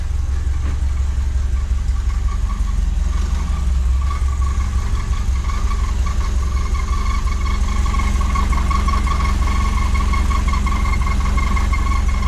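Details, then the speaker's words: Renault 8 with freshly swapped 1397cc C2J engine, points ignition, 8S carb, custom exhaust, timing not yet set: lumpy idle with a thin high squeal on top; source of squeak unknown. Squeak at idle. "sure what that squeaking is but we're on to a winner"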